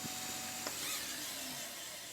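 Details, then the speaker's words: Technics RS-1500 reel-to-reel deck after service, bearing lubrication and brake and tensioner adjustment, winding heavy reels. A steady rushing hiss with a faint motor tone and one click: fast wind running normally. "the uh fast Wine's all good considering the weight of these reels picks up really"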